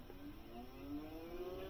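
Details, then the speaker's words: 2011 Ford Edge 3.5 after replacing the radiator cooling fan assembly for code P0480, fan speed commanded by scan tool: steady whir rising smoothly as both fans spin and stay running, no ticking or scraping; fixed. "I'm sure you guys can hear that are they both running yes they are both running"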